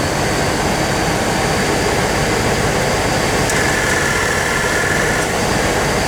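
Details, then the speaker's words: 1997 GMC Savana, AC on max at idle during R134a recharge: over a steady idle a faint compressor whine cuts in for under two seconds and drops out, pulling engine rpm down; compressor short cycling from low refrigerant. "The idea is to get it to run longer on the compressor instead of cycling on and off. And the freon will do that when it gets in the system."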